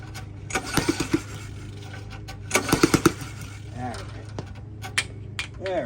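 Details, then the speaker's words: 1997 Murray mower, long left sitting, cranked on a chilly day with carb cleaner: sharp pop clusters as it fires on the pulls, spitting back through the carburetor without starting; owner suspects a stuck intake valve. "I can hear it firing but yet it's not starting what it's doing is popping back through the carburetor"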